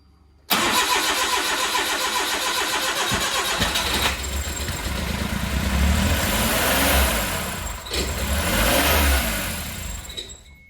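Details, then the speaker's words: Suzuki Carry with a rebuilt engine on its first start after a coil plug was reseated: revs climb and hang too fast instead of idling; owner suspects the throttle body, cause unconfirmed; oil pressure came up. "okay I shut it off because this throttle is going too high it's not idling it's going too fast I'll try it again yeah that's too fast so there's something wonky with this throttle body"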